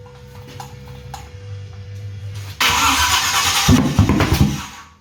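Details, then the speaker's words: Rebuilt small-block Chevy for a 1970 GMC C10-to-K20 conversion on a stand, first start on an old tractor battery: slow uneven cranking, then a loud rough backfire with flame that sputters and dies. No-start; timing possibly a tooth off (suspected). "Watch your feet, alright. Sorry. There's a lot of flame that comes out of that, that's for sure."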